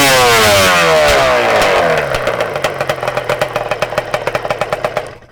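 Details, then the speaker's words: Two-stroke Banshee after its carburetor needles were turned a turn and a half richer in total: crisp rev winding down into even, regular pops with no bogging or surging; no longer lean. "All right. So, we end up turning it. It's definitely not leaning anymore. We end up turning it a turn and a half richer."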